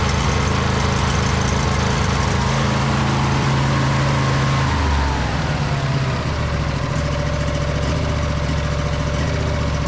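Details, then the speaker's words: 2008 (believed) Husqvarna YTH2242 lawn tractor, Briggs V-twin, after bent push rod fixed and reassembled, good compression on both sides. Deep steady twin rumble, eases once then holds even with slight surge: normal running. "just sorted itself out. Slight surge in there. Not bad though."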